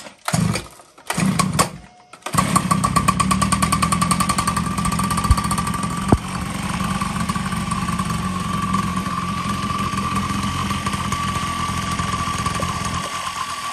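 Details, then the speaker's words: X8 two-stroke pocket bike, fresh fuel, wiring damaged, run with exhaust pipe removed: a few short start attempts then a loud raspy two-stroke buzz at idle; engine running without exhaust. "we got exhaust still off back here so we're going to still try to crank it and see if it blow out"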